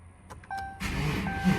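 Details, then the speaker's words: Dodge Charger 5.7 start after water pump replacement and vacuum coolant refill to the cold level: a few clicks, short crank, then quick catch into a steady rumble; starts and idles normally, belt and leaks to be checked. "Love that sound."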